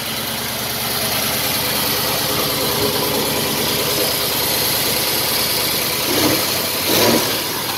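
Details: 1931 Willys, first start after engine reassembly, in neutral: an even, steady idle under heavy hiss with a couple of light throttle blips, running smoothly; normal idle.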